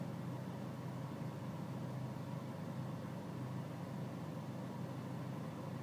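Diesel idling with a slightly uneven, lumpy beat and a faintly wavering drone; rough idle, cause not evident from sound.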